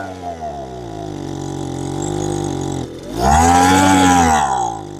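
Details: Lesco LHB 2500 handheld two-stroke leaf blower, choke up: buzz climbs on throttle, then sags and flutters and won't rev out; bogs at high speed, lean mixture; owner tends to run the oil mix too rich, muffler screen to be checked.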